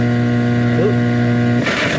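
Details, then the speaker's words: Late-1960s GE console stereo, trash-picked, first power-up on a dim bulb tester: loud constant low mains-frequency buzz on the AM band with no station audio; cause not yet found. "Nice big buzz on AM."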